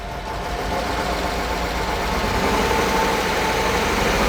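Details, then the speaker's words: 1997 Mercedes SL600 donor car, coil-on-plug, started after sitting for years: idle swells slowly with an uneven, lumpy beat and occasional stumbles. Owner suspects a misfire from bad gas. "I think it's misfiring just got some bad gas in it"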